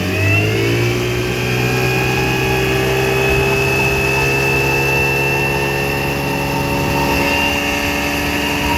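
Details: 1960 Scott-McCulloch 12hp outboard with transplanted 14.1hp McCulloch powerhead, new plugs, cleaned points, bronze Michigan Wheel prop, lake test: crisp two-stroke buzz climbing smoothly as throttle opens, then steady high whine; runs clean and strong.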